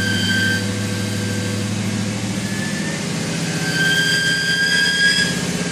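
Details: BMW E39 (1997-2003 540i/530i/528i) idling: high steady whistle-squeal from a dry bearing on the alternator or power steering pump; spraying WD-40/lubricant on the bearing made it go away.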